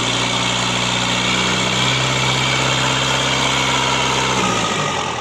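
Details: Simpson S4 diesel tested after engine overhaul: even, steady clatter with a constant beat and no knocks or misses until it winds down at the end. Normal idle.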